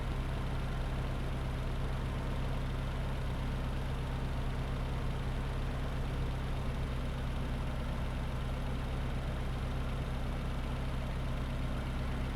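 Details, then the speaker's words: Mitsubishi Lancer EX Turbo, 170,000 km, before Bellhammer 7 oil additive: faulty ISC servo makes slow idle-up and heavy vibration at first; steady low droning idle with dull mechanical rumble, about 75 dB near engine; worn engine idle noise. "the ISC servo is not working properly and it takes a while to idle up. As a result, the engine vibrates a lot at first."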